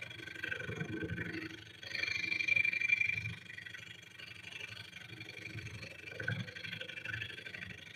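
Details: Wood lathe turning a winged bowl with carbide gouges, speed turned down, piece running true: rapid scratchy rattling buzz in bursts as the tool bites, then easing; gouge chatter against the spinning bowl is suspected, not confirmed.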